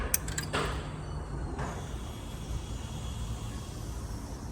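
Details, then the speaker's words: Low steady hum for about a second and a half at key-on, then stops: normal fuel pump priming on a supercharged LS3-swapped squarebody, newly wired with a Holley Terminator harness, before setting fuel pressure. "Now, we're going to turn the key on, see if fuel pump makes noise, and then set the fuel pressure."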